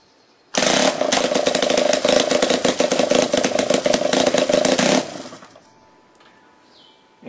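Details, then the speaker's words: Weed-eater two-stroke engine converted to run on pulsed air or steam via a solenoid valve and a cam-actuated micro switch, running unloaded; fast, loud, stuttering uneven pulses; rough running, expected to smooth out once loaded with an alternator. "get it running even more smoothly than that once we can put a load on it with the alternator and start making a bunch of electricity"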